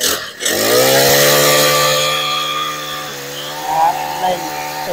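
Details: Used Honda four-stroke trimmer, engine overhauled, carburetor and throttle handle set replaced: catches quickly, climbs to a clean steady high-pitched run, then eases back evenly; normal healthy running.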